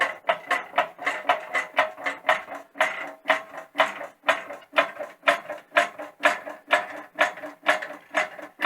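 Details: Vevor 20-ton hydraulic workshop press, pedal pump, after greasing ram and controls, pressing to about 15 tonnes: even strokes about twice a second, soft hydraulic push, no metallic clacking; quiet normal operation.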